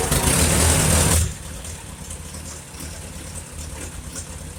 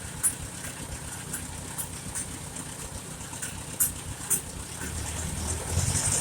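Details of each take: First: Farmall Super A after engine rebuild, first start before test ride: catches and revs hard, then a lumpy, uneven, slow loping idle with smoky smell; carburetor mixture far too rich, jets to be adjusted, engine otherwise sounds good. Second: 1951 Farmall Super A tractor after engine rebuild, idling as carburetor is adjusted, with a little water in the gas; even low putter at steady rate with a few faint clicks, sounds better: smooth idle.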